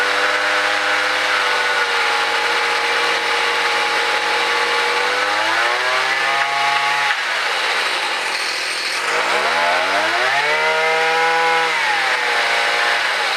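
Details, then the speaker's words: Gas-powered mobility scooter with rebuilt small engine, first run after input shaft repair, no wheels fitted, new chain and sprocket; even buzz rising and falling smoothly on two throttle blips, no knock or misfire; motor runs perfect, normal running. "sounds good you know the motor runs perfect that little motor rebuilt worked really well huh"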